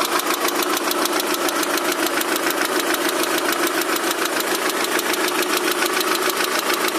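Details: Daewoo Nexia 16-valve engine at idle, knocking both cold and hot: sharp regular tapping about 3.5 per second over the idle; engine knock, cause unknown.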